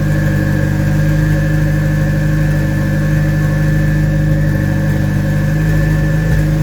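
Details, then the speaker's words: Citroen Saxo VTS Turbo warm-up run, idle stepper motor turned down from a too-high idle to about 1200 rpm: a steady warm idle with a slight waver toward the end; mild idle hunting, cause unconfirmed. "initially it was idling too high so I've turned the stepping motor down for the idle control so that that b it down to about 1200 RPM"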